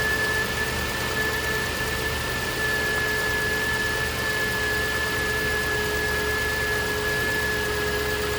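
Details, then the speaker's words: 2009 Range Rover Supercharged 4.2 at idle: thin constant high whine over steady idle; owner believes it is the alternator rather than the supercharger, visual inspection found nothing obvious. "My suspicion is it's not the supercharger. I really believe it's the alternator."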